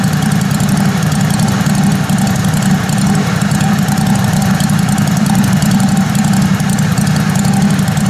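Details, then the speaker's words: Kohler Command Pro 27 hp twin lawn mower after head gasket repair, muffler baffle removed: loud steady low rumble with rapid even beat at idle, no muffling; open exhaust, engine runs fine. "But it's wide open now. My neighbor's gonna love me. Crank it up and see what it sounds like."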